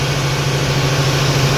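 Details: Vehicle after alternator reinstalled, charging at 14.5 volts: smooth, even low hum at steady pitch with no knocks or misses; normal clean idle.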